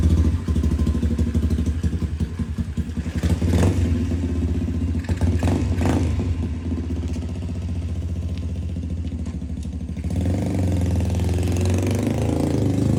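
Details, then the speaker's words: Restored budget pit bike, small single-cylinder, ridden in cool 50s–60s°F weather by a 210 lb rider: steady low thump with even firing through light throttle changes, no knocks or rattles; runs great but underpowered, likely smaller than 125cc. "Definitely not a 125. It runs great. It runs really great, but it's definitely not a 125."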